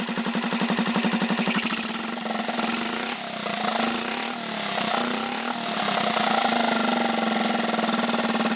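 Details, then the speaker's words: 1965 Honda C100 engine after engine and carb rebuild, on test stand with temporary fuel and exhaust: steady even idle with slight speed drifts, oil circulating, started second kick; normal idle. "Everything's running just as it should. Oil circulating like it should. And it started the second kick, which is always a nice thing."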